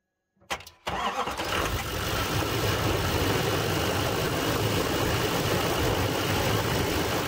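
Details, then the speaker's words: 6.6 Duramax diesel truck, started with the boost button on a GOOLOO 4000A jump starter: short crank, fires right up and settles into a steady, even idle clatter, wind in background; normal strong start. "6.6 Turax fires right up off this."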